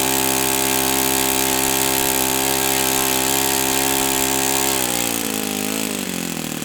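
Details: O.S. FS-91S II four-stroke engine on test stand, first run: crisp, steady high-pitched drone holds even, then eases down smoothly as the throttle comes back. Owner says it feels freer at operating temperature; normal running.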